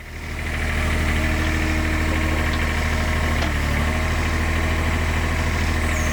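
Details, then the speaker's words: IHI 28J mini excavator, Isuzu 3LB1 diesel, at idle after injector pump O-rings replaced to stop diesel leaking into the crankcase, injector line retightened: steady even clatter, all cylinders pulling, no missing beat; successful fix. "You hear the engine pick up. And that cylinder is working. So, that is a successful fix."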